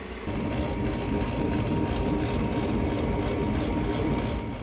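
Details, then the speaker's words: Lennox rooftop unit after replacing the faulty combustion blower motor: smooth, even whir with a steady mid-pitched hum and no rattle, scrape or wobble; the new combustion blower runs normally, much better than the old one. "Sounds so much better compared to the old one."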